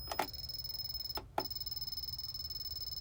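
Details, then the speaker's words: Harbor Freight 500 W PWM solar charge controller: steady high whistle near 5 kHz with fast faint flutter and taps, tone changing each time its button is pressed; owner suspects it is dying, never heard before. "every time i touch that button you hear that tap sound tone change well guys uh yeah what do y'all think the charge controller is uh dying"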